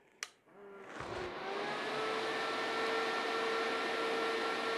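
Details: Diaphragm pump in a DIY TIG welding water cooler, first switch-on through a jumper hose: a click, then a steady mid-pitched hum over rushing coolant, with the pump running and flowing normally.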